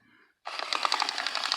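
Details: Bachmann U36B model diesel locomotive with pancake motor, before restoration: motor starts and a loud, fast, uneven clicking clatter rides over the whine the whole run, cracked nylon drive gears.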